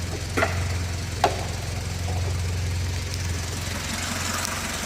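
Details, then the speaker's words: Nissan Primera P10 1.6L GA16DS 97hp carbureted engine, started warm without pressing the throttle: steady, even low hum, no misfire or knock, a couple of stray clicks. Its cold-start stalling was traced to a damaged valve, not the autochoke. Normal warm idle. "you see that the engine has started normally when the engine is little hot you know that's not cold not cold start"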